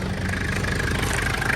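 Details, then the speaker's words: 1996 Mitsubishi Delica L400 Chamonix, 4M40 2.8L intercooled turbo diesel, automatic, 107,231 miles, still cold after a cold start: even, steady diesel clatter with no misses, knocks or smoke; engine healthy. "And that's with it's still cold, you know. It runs real good. Yeah, that motor's solid in this thing."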